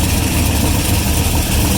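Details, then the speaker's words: V8 at idle after radiator fan shut off: deep idle with raspy, hissy puffing from an exhaust leak; earlier noise gone, owner plans to recheck the crank bearing. "i think the fan shut off so we got a couple of minutes here yeah that noise is gone and uh you can hear the exhaust leak"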